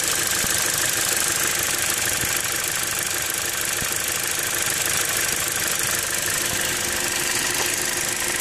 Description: Possibly PCV valve clicking after replacement.